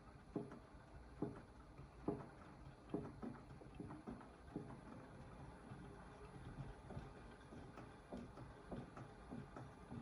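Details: AEG 8000 washing machine, drum turning slowly: soft knocks about once a second, fading and returning, mostly during counter-clockwise rotation; vanishes at higher rpm; detergent cup removed, knock persists. Cause not clear.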